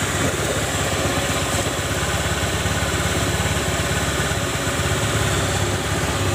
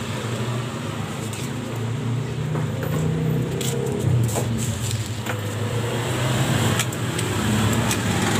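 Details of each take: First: Honda automatic scooter, rear CVT after the bent shaft was ground smooth to cure a rough noise at idle and on initial throttle: an even, steady idle with no grinding or rattle from the rear drive; the noise is gone. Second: Honda Spacy scooter, kick-started because the starter is dead, with a rear CVT under a year old: the idle is fairly smooth, but on throttle and at speed a rough "kretek" rattle comes from the rear CVT.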